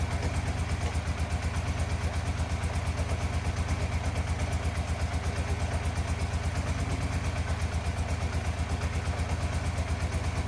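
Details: 1987 Yamaha FZR 1000 Genesis with cleaned carbs, old fuel still in lines, not yet warmed up, weak battery: slow even low thumping around 170 beats a minute with no lift; owner feels idle speed needs to be higher.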